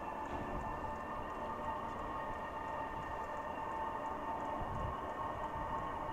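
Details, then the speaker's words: Silvel 8kW 12V diesel air heater starting up: steady even fan whine at constant pitch, exhaust smoke appearing and air not yet warm but starting to blow; normal start-up running. "okay I'm starting to hear the uh noise come out some more you can see carefully there's some exhaust coming through it's not quite warm yet but it's starting to blow"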